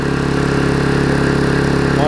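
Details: Vulcan 18" mower two-stroke at full throttle, after freeing the rusted flywheel from the magneto and fitting a new intake pipe, gives a smooth, steady buzz holding one pitch without misses or hunting; running healthy.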